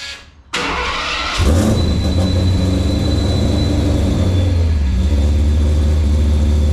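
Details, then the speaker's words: Ford Bronco with a B2 to full-frame swap, started with the alternator not yet hooked up and fans not running. The engine settles into a lumpy, uneven low rumble loping about four times a second, running rough. "days as far as running you know it will run it don't run good right now"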